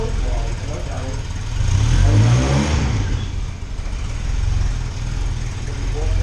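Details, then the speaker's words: 1989 Volkswagen Cabriolet after repairing a major exhaust leak and replacing the cooked starter and wire: deep, steady exhaust note with smooth rev and settle, no ticking or blowing; normal running, much quieter than before. "that's like that's like a hundred times better damn couldn't hear ourselves talk over the car last time"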